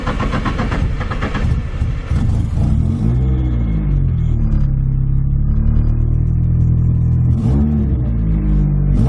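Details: Nissan 240SX SR20 on first start after fitting an eBay EMUSA exhaust not yet fully tightened. It has a loud, raspy, popping note at idle and on blips. The suspected cause is an exhaust leak or the muffler. Loud exhaust noise at idle.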